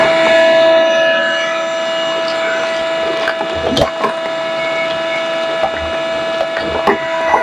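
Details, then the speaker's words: Corded Ridgid 9-gallon shop vac: very loud, harsh steady whine with debris clattering through the hose; motor bearings are worn out. "But this thing is so loud and the bearings, as you can hear, are hammered."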